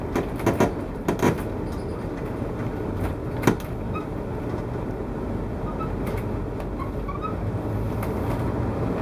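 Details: 2014 Winnebago Tour motorhome driving on the road: heavy road rumble with irregular creaks and groans every few seconds, like misaligned parts rubbing, sounding as if the slide-out is coming out; owner blames poor build quality, cause unconfirmed.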